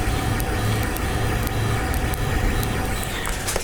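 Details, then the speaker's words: Ender 3 printing no-name polycarbonate at 310°C, mic right at the print: irregular snaps, crackles and pops over motor hum, from waterlogged filament despite coming vacuum-sealed with desiccant. "But if I stick the microphone right up to the print, you'll be able to hear the snap, crackling, and popping."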